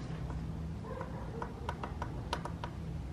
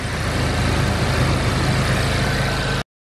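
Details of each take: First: MK7 Golf GTI, engine off, turbo being removed for an IS38 upgrade. Loose metallic clicks and taps as the worn turbo's wastegate is moved by hand. The turbo has a lot of play and had whined heavily. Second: Smooth, steady idle with a low rumble and no ticking, knocking or turbo whistle on a Mk7 Golf GTI just after installing an IS38 (OEM Mk7 Golf R) turbo; slight initial smoke from fingerprints on turbo and downpipe; normal idle.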